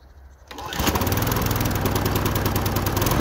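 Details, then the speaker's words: Wolf TB46B lawn mower, household-clearance find long retired for not starting, test run after fuel turned on and carburettor float bowl filled: catches and settles into a steady, even single-cylinder drone with no misses; running fine. "läuft ja liebe leute wie so oft nach rasenmäher läuft nicht"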